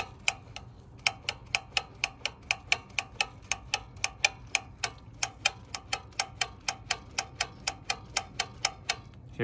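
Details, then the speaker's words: Honda Trail125/CT125 throttle body, worked by hand: crisp regular clicks about three a second as the butterfly valve taps its open and closed stops. Full travel; normal, no problem. "here it hit this the the butterfly valve hit the stop all right so this is going to be open okay that was open this is going to be closed"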